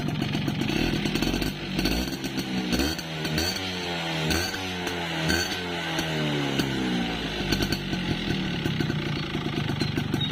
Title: Piston slap, yamaha force1 2 stroke